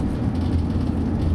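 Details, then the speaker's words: 2007 Vauxhall Movano 2.5 CDTI diesel van, about 80,000 miles on LPG gas injection since 2014, pulling away in third gear at very low revs, gas on so no stutter; deep, even rumble, no knock; normal low-rev running. "so the engine is running very very low so in fact i'm in third gear just pulling away in third"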